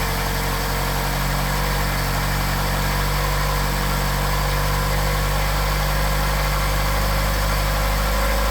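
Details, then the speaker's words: Engine with 44PHH Solex carburetors, cold and warming up, choke pushed in. Loud, steady, even idle pulsing about four times a second with no misses, strong enough to rattle the concrete; normal cold idle. "I must say they started up very nicely. Sorry for the shaky video, but that's the engine rattling the concrete."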